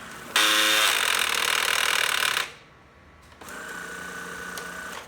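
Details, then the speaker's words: BG9100NM battery sweeper making a loud harsh ratcheting rasp, a built-in warning that the brush roll is jammed on a rug corner or hair; unbinding it and pressing power resets it. "in the event that the brush roll gets caught on something like the corner of a rug a hair wrapped around it whatever it will make this ungodly ratcheting"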